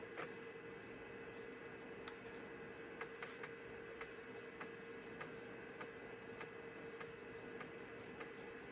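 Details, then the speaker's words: Belt-replaced Citizen W1D 3.5-inch floppy drive in a Compaq Armada 7770DMT reading a diskette: soft steady motor hum with light regular ticks as the head steps across tracks; normal floppy disk read. "Looks like a winner to me. So that pretty much concludes this video. We read a disc and we wrote a disc on a Citizen W1D drive in the year 2020."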